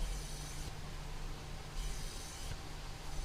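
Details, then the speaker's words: 2006 Ford Focus 2.0 leak-down test at 90 injected, reading only 50-something against 80 minimum: steady airy hiss with low rumble as air blows past worn piston rings despite low mileage, blamed on dead oxygen sensor causing excess fuel. "não tá dando mal dá 50 e poucos 80 né tá dando uma diferença muito grande né e dá para ver aqui ó tá soprando ó"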